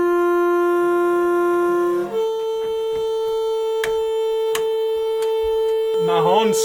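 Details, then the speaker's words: 1971 Ford F100 big-block V8 during cranking: a loud, steady horn blare holds continuously with one pitch step, as the horn is stuck on; the owner suspects the makeshift battery cable contacted the horn. "That really budgy cable that I was telling you about I just made maybe contacted the horn."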